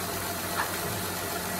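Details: 2008 Honda Odyssey just after timing belt and water pump replacement, fluids refilled, warming up: steady even idle with a smooth low drone, no knocks or misses; healthy.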